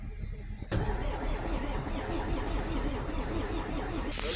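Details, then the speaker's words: MAN diesel engine not started for about two years, battery found at 5 V and addressed: starter cranks with steady compression pulses but it never fires, no smoke; suspected electrical fault. "So ka-crank lang tapos walang smoke. Wala man lang usok. So ibig sabihin baka siguro electrical to."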